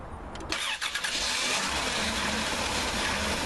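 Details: Dodge Grand Caravan cranking with doors closed, dome lights and AC off; starter whirs at an even beat with a faint catch, no-start, cause unknown.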